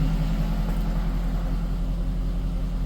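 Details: Ford BA Fairmont V8, tensioners recently done but earlier still had a knock, started with no warning lights: deep, steady idle with an even, unbroken pulse and no misses or whine; idling normally.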